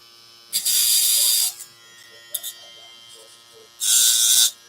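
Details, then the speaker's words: Andis Phenom hair clipper gives two short bursts of harsh, high buzzing rattle, deliberately shown; the rattle means the cutting blade is set too far out and over-biting the steel blade, so it needs adjustment. "If you hear the rattle, like I'mma I'mma do the rattle on purpose. Like if you hear this, then that means the cutting blade is too far."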